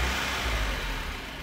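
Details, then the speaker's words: 1992 Mazda Miata with headlights and A/C on: after throttle release the idle sags to about 300 rpm, nearly stalling, sometimes rising toward 1,000 rpm; caused by a clogged idle air control valve. "the RPMs get really low they get around maybe 300 RPMs and the car comes very close to actually stalling out"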